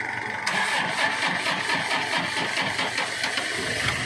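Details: Car that would not start, after a part was swapped: engine catches at once and settles into a steady, even idle with no stumbling; starts cleanly now.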